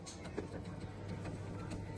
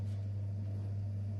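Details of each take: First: Bosch 6000W gas boiler circulation pump: steady low hum with irregular sharp ticks and knocks from a worn rotor, fixed by replacing the rotor; dirty water found inside. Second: Bosch 6000 gas boiler circulation pump after its knocking rotor was replaced: steady soft low hum, no knocking or rattling, now running quietly and normally.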